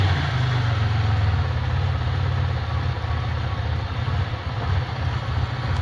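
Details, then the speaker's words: Sick Centurion engine (owner suspects bad fuel) after injector cleaning, same fuel still in, fuel pressure just under 40: uneven, loping idle sagging and surging near stalling; cleaning injectors did not help, cause unclear. "even though we went through and did that cleaning getting ready getting ready to die so cleaning the injectors did not help"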